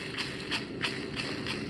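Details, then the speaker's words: Second-gen 2005-2015 Toyota Tacoma throwout bearing, removed during clutch replacement on hard-wheeled truck, spun by hand: gritty scratchy rasp about three times a second each turn; rusty, rough bearing needing replacement. "sounds like shit. Got some rust in here."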